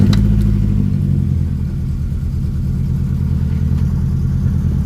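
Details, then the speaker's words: Restored Ford Escort Mk3 XR3i just started: slightly uneven, lumpy idle beat; a slight misfire during warm-up, owner plans to check the plugs, which look dirty. "starts on the button seems to have a slight misfire on warm up so i need to have a look into that and just check all the plugs and look dirty but it's okay on idle you can hear there is a misfire there"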